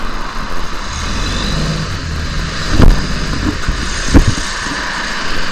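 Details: Diesel bus rego XV 71RE pulling away: deep drone with harsh chuffing puffs swelling under load, exhaust leak.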